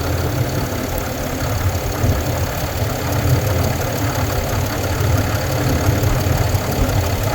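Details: 2022 Ram 2500 Cummins diesel at steady idle: a light, fast ticking rides over the low clatter, keeping pace with idle; source of the tick unknown.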